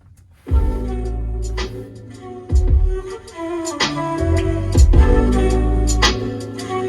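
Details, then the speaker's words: 2005 Toyota Land Cruiser 100 Series front door speakers and rear subwoofer after repair with a surround revival kit: music plays clean with full, firm bass and no rattle, buzz or flapping. Normal, healthy playback. "And that is a massive improvement. I am extremely happy with this kit, and I highly recommend it."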